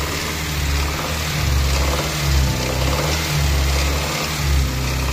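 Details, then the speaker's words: Car in shop; owner worried about engine noise; steady quiet engine hum with light mechanical patter, mechanic says it is normal engine sound, not the exhaust. "Tunog talaga ng makina pre. Hindi tambotso yan."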